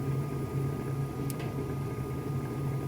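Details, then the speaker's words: Furnace checked on a noise complaint in Oklahoma; inducer drawing 1.02 A against 1.05 A rated, blower later 6.27 A: steady smooth low inducer hum, no rattle, scrape or knock; everything ignited and fired off, running normally. "I came out here for a call for a noise complaint and I haven't noticed anything out of the ordinary everything seems to be running like it should everything ignited and fired off"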